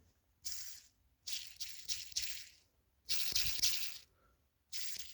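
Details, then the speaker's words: BMW E36 sedan clutch job, removed pilot bearing spun by hand: short gritty rattling bursts; pilot bearing worn out, replaced with the one in the new clutch kit. "I don't know if you guys can hear that, but that thing is definitely bad."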